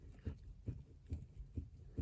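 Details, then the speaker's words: VAZ steering rack, knock when turning and stiff steering: dull evenly spaced knocks about twice a second as the rack shaft is rocked via the right tie rod; play inside the rack, likely worn bushing, repair kit planned. "Вот так мы качаем за правую тягу и мы видим болтается У нас вот этот вал сечас на сам вал покачаю вот этот стук У нас"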